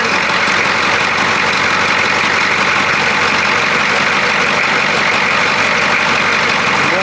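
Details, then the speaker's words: 1982 K5 Blazer diesel, first start after sitting in a field, glow plugs used: fires and settles into a steady, even idle with strong clatter, no misses or odd knocks, no smoke, charging; sounds healthy. "sounds good it's charging sounds good and it shuts off wow didn't even smoke at all huh"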